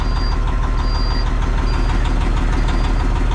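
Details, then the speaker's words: Peterbilt cabover truck with 60 Series diesel, first run after engine swap, idling to warm up; loud even diesel clatter at steady beat, no misses or surges; no coolant leaks; normal idle. "Let's just let her idle away and uh warm up."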